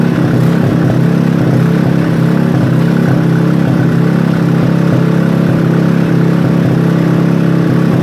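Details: Robin small engine during restoration, first start: even steady low chug with a constant beat, no misses or rattles; runs smoothly.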